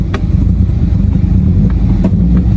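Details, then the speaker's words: Subaru STI on a 700whp build starts, runs briefly, then sputters; it loses power the moment throttle is applied, with rough running and sharp pops every half second or so. It is backfiring, suspected fuel-pressure issue; fuel pressure test or fuel-pump removal planned. "It is backfiring. This is definitely something fuel related."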